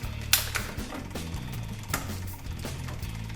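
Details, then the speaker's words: Bike 1x rear derailleur, listening to the drivetrain: irregular light ticking and chattering as the chain pushes against and tries to climb onto the bigger sprocket, almost shifting by itself, from too much cable tension. "yeah the chain really wants to go up making this noise now it will just shift almost by itself it's really possible that it would shift by itself"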